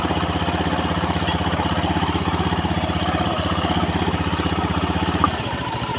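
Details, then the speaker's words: Honda Beat FI scooter at idle after CVT repair (fault in the clutch lining ring plate, parts tightened with impact): smooth, even idle with regular thump about four times a second, no clutch-side rattle; transmission now healthy. "ini teman-teman sudah suaranya sudah halus ya jadi ee motor ini teman-teman bisa buka ya ya Ini motor ee jadi ini suaranya sudah halus"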